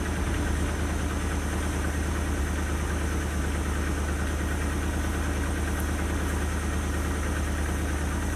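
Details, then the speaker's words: 1977 Dodge D150 Adventurer truck revived after sitting 12 years; idling in neutral, not yet warm, after spark plugs cleaned up the idle. Fairly steady idle rumble with a light quick ticking puff from an exhaust leak, otherwise idling nicely. "I mean, it has an exhaust leak, but it actually idles pretty nicely, surprisingly."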